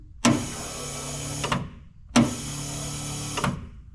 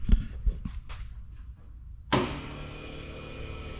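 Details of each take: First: 1928 Ford Model A sedan, newly plumbed electric under-floor fuel pump feeding the carb on the stock four-cylinder: two short runs of steady whirring, each starting with a clunk and stopping cleanly. The pump had apparently stuck and was tapped with a screwdriver; it now works normally. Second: Ford Model A four-cylinder with a new under-floor electric fuel pump added because the carb sits too high for gravity feed: clicks then a steady pump hum and sounds in the tank, but no fuel reaches the test bottle; pump suspected not primed or not drawing.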